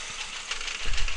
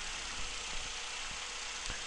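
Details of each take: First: Four-cylinder engine idles lumpy with irregular low thumps after injector 3 is disconnected; the cylinder balance test shows that cylinder's output dropping to 10%. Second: Four-cylinder engine idling evenly with injector plugged back in, cylinder balance test on oscilloscope back near 100%: steady low pulse, no stumbles or missed beats; smooth idle.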